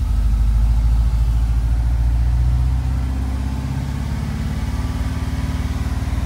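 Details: 1986–1991 VW Vanagon with Digifant fuel injection, idling. The engine idles fast with quick, even pulses and stays high, sometimes varying. The fault is the idle control module behind the right rear taillight, fixable by replacing its NT185 transistor.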